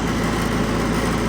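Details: Stock 4-cylinder Ford 8N tractor at governed full throttle, about 1,800 rpm, as a reference for a flathead-six-converted 8N. Steady, even drone with a firm, regular firing beat and no knocks or misses; normal governed full-throttle run.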